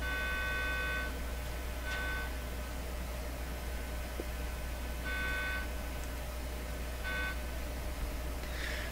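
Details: DeForest 10DA517 AM radio with an audio test signal injected into the audio circuit: short bursts of a mid-pitched test tone that sounds harsh and buzzy rather than pure. The damaged speaker is the cause of the distortion.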